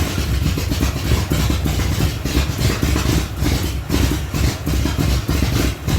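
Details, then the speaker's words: 1975 Datsun 280Z, swapped 358 small-block Chevy V8 on Megasquirt 3X, first start in over 4 years after wiring fixes: loud, deep, slightly lumpy idle with booming exhaust pulses, running on its own; normal idle. "yes yes I did it the Dotson finally runs Hallelujah"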